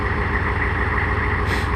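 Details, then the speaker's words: 6.5 diesel Suburban, first start after installing Powermaster starter, sitting unstarted since 2019; fired after about four key turns: steady, even idle with regular low chug and faint high tone; healthy. "that old power master fired up had been sitting since 2019 hadn't been started or even tried to start the past over two years now"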